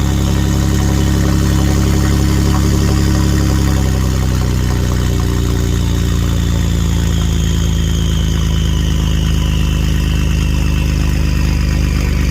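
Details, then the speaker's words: 2015+ Ford F150 3.5 EcoBoost after DIY DeatschWerks DW440 brushless fuel pump install, for E85, running without muffler: loud deep unmuffled drone holding a steady even beat, no misses or knocks; pump working, drove next day without issues. "Man, that sounds kind of mean without a muffler on it, but I'm glad to see everything's working."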